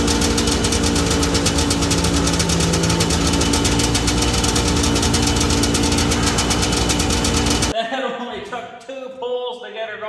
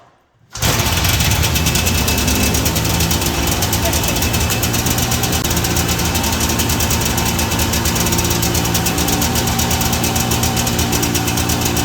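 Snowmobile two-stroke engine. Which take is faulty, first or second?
second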